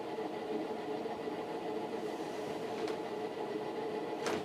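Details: Fasco World's Fair ceiling fan, new-old-stock motor, Vari-Low near top speed: steady hum with rough rhythmic chugging like a train on tracks from stiff, noisy bearings.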